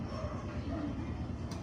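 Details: Single-cylinder Barako motorcycle engine, running very hot and very loud: a heavy rattling knock. The cam chain area was found bone dry with no oil reaching the top end, and connecting rod knock is suspected, not confirmed.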